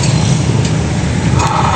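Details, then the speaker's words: Honda Click scooter with the rear wheel spun, giving a steady low rumble with faint ticking; noisy transmission bearings, a damaged pilot bearing and inner ball bearing. "Ayan napakaingayung konting ingay dito sa transmission normal lang yanung nasira pilot bearing at saka yung bearing sa loob yung ball bearing."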